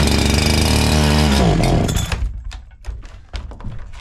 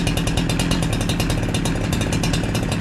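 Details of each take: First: New NEO-TEC NH872 71cc chainsaw, a Husqvarna 372XP clone, at first start: a fast, busy idle after blips, set too high. The idle screw is turned counterclockwise to lower it. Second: NEO-TEC NH872 71cc chainsaw (Husqvarna 372XP clone) after turning the idle screw down: a fast, steady two-stroke idle with the chain not moving, still slightly high but even and acceptable.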